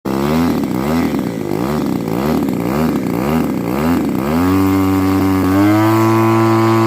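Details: Pitts S2C aerobatic aircraft engine: note surges and dips about twice a second for four seconds, then settles into steady roar; misfire caused by faulty smoke oil nozzle.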